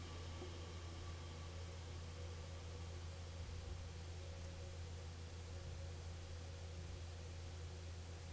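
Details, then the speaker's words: Ampex MM-1000 tape recorder AC hysteresis sync capstan motor with 40-year-old Mylar belt: low, even hum with no ticks, wobble or scraping; capstan and flywheel spin smooth and quiet, normal. "And I just wanted you to hear how smooth and quiet this is as it spins. So for those of you that like to see and hear things spin, here you go."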